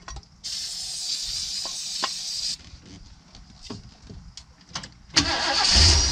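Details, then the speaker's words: 1979 Ford Pathfinder Quadravan 4x4 with a new carburetor, choke propped open: starter spins the engine in bursts but it never catches; owner thinks it isn't getting fuel, though the old carb's pump used to deliver fuel. "I don't think it's getting fuel. It's my guess it's not getting fuel. Yeah, it ain't getting fuel."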